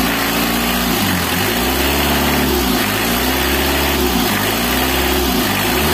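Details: Mitsubishi L300 diesel after repair to clear stinging white morning smoke: revs rise and fall smoothly with the throttle, a clean even note with no misses or knock; smoke now gone, running healthy.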